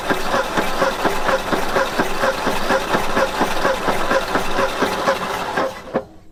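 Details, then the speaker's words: 1960 Ford F100 panel truck sat 40 years, carburetor on real fuel supply plus starting fluid: uneven chugging about two pulses a second, some cylinders firing, others missing, then dies; owners suspect low compression from stuck rings. "Sounds weird. >> Act like it's hitting on a couple cylinders. >> Not others."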